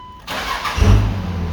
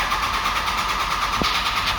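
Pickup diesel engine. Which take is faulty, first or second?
second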